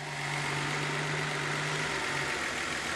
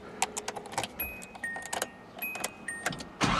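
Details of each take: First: Nissan 280ZX: steady idle around 800–1000 rpm, humming note cuts out after about two seconds as the engine sags lower; owner suspects a bad battery, possibly the alternator. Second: Nissan 280ZX after replacing the battery and all terminals, charcoal canister replaced, idle and BCDD adjusted: a few clicks, then it starts promptly and settles into a steady idle around 900 rpm without hunting; normal start and idle.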